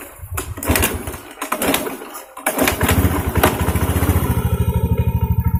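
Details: Honda Beat scooter that came in totally dead with a weak starter, kick-started: a few kicks, then it fires and settles into an even, steady putter at idle. It starts and runs normally.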